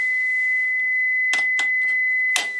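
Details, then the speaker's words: AWA R7077 beat frequency oscillator, circa 1943, before cap and resistor replacement: clean steady high tone at one pitch, few faint clicks; stable note, works, calibration doubtful, magic eye not fluttering. "um but i it produces sound at different frequencies uh is it calibrated i doubt it"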